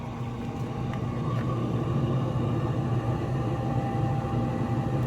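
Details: New Z Grills 700D3 pellet grill, initial burn-in on smoke setting: steady low hum with even unbroken whir, fan blowing and auger turning before burn pot heats; normal pellet grill startup.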